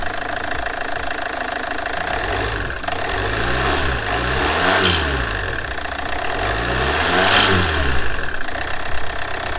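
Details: Land Rover Freelander 2 (LR2) diesel just started after PCV valve replacement: even diesel clatter at idle with a few throttle blips rising and falling smoothly, settling to a steady healthy tick-over.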